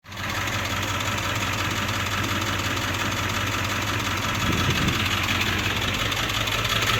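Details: 1999 Ford Powerstroke diesel, service engine light on, blinking overdrive light, burning smell; ICP sensor and fuel filter already replaced, full tank; needs throttle pumped to keep running or it dies. Diesel clatter with uneven, gently surging beat: rough loping idle.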